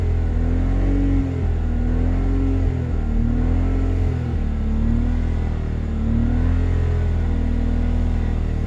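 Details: BMW Z3 2.2i M54 during an emissions check: engine revs with an uneven, lumpy beat that stumbles instead of pulling smoothly, a misfire.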